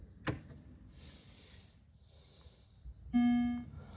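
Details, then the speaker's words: Estate-sale arcade machine that once booted with a blank screen: a short click, then one steady low bong of about half a second at power-up; meaning unknown, but more than it did before. "Yeah, that's that means something to somebody. Not to me. That means it's more than it was doing before."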